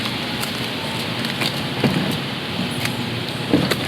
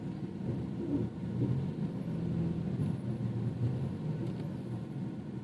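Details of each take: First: BMW 428i underbody, noise when reversing or turning the wheel during U-turns: two dull knocks about two seconds apart under steady hiss while maneuvering; knocking from a loose front underbody panel. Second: BMW 428i front suspension after tightening loose bolts with no parts replaced, reversing up and down a slope at full steering lock: low, even road rumble with no knocks; the earlier clunk under the driver's footwell is gone.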